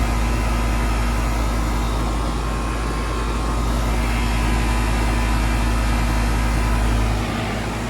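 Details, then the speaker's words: Central AC after the failed compressor capacitor was replaced: a steady, even low compressor hum under the fan's whoosh, blowing cold again; normal running. "the whole service trip was 80 bucks for their time and replacing the capacitor so we've got cold ac again"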